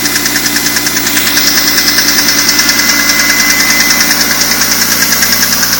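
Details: BMW M3 E46 engine running: sharp, fairly even tick about three times a second over the engine; ticking noise, cause not identified.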